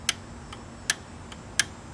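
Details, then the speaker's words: Air-cooled P502 TIG welder relay, points cleaned and sanded, pushed in and released by hand: six crisp clicks alternating loud and soft as the contacts close and open properly; normal relay clicking. "it'll click when I let go, and as well as when I push it in."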